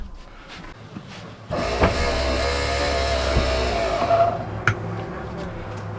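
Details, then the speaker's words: BAL Accu-slide RV slide room retracting: a steady electric motor drone with a faint wavering whine as the room slows before it is fully in; a slow slide-out retraction. "Wonder why it slowed down so much. No, it ain't even close to being in. I have no idea what that noise was. I don't know why it was getting so slow."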